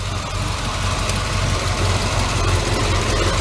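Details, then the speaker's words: Chevy S10 with a V8 swap on its finished build, idle just turned up and the RPM gauge bouncing; roller rockers adjusted to stop tapping. Steady, even V8 idle with a smooth low rumble and no rocker tapping. Normal idle. "I just turned the idle up. It's running back and forth. That gauge doesn't sit still, but I don't care."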